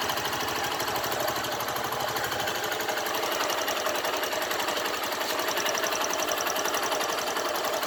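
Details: 2012 Honda Fan 150 fuel-injected single-cylinder motorcycle idling: fast, uneven ticking clatter about four beats a second over steady idle; owner asks what causes the engine noise, cause unknown.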